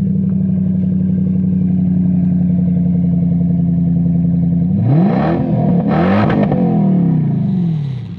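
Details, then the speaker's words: Lexus LS430 with 3UZ V8 at about 225,000 km, exhaust cut off just behind the driver's seat. Deep, loud, raw V8 burble at idle, then an unmuffled rev. The open exhaust resonates, rattles and shakes the car when driving. "so some guys might think that sounds really cool but when you're driving it it's actually got the exhaust cut off like just behind the driver's seat and it resonates and rattles and shakes and is horrible"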